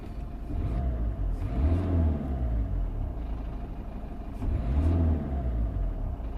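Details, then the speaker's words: 2004 Citroën C3 1.4 L HDI diesel, engine light on, code P1164 fuel rail pressure sensor, sometimes hard to start. Under throttle the revs rise twice, then flatten and fall back, capped just over 2500 rpm; rev-limited limp mode. "so if I press the throttle down which I'm going to show you so Throttle Down the engine doesn't R more than just a little bit over 2 and 1 half th000 RPMs"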